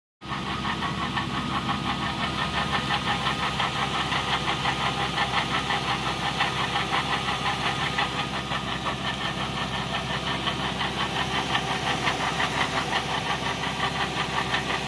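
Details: Toyota/Lexus V8 idling with a steady fast knock; suspected from the fan pulley bracket or accessory belt idler assembly.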